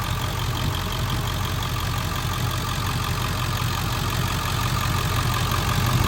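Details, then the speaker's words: 2000 Ford Excursion XLT 7.3L Powerstroke diesel 4WD, heard under the hood: steady even idle with usual light clatter, no irregular knocks or misses; engine sounds healthy. "All right, let me show you back underneath the hood so you can hear it running and idling."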